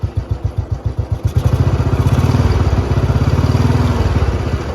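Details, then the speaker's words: 2008 Royal Enfield Bullet Standard 350 navy-disposal single, kick-started after tappet adjustment during restoration: catches, then a steady even thump of about four beats a second with no tappet ticking; tappet noise is gone and the engine starts easily. "और टैपटि शोर पूरी तरह से गायब हो गया है। Engine अंदर कोई नहीं है कोई आवाज़ नहीं, कोई आवाज़ नहीं कोई आवाज नहीं आ रही है।"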